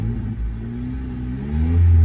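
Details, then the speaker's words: Slammed Honda Civic (ES1/EM2): deep raspy rumble on a quick free rev. The mid pipe has a hole, causing an exhaust leak. "one day later the car is a lot louder now i don't know if you can see it that's my exhaust and it just drags and that has a massive exhaust leak because there's a hole there dragged through"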